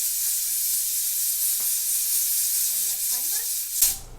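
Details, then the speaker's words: Pressure canner on the stovetop at the end of processing, seconds left on the timer: loud continuous hiss of steam venting from the weight regulator for a few seconds, then cutting off abruptly; normal pressure release before removing from heat. "So as you can see, we have about 9 seconds left. Probably going to let off some steam one more time."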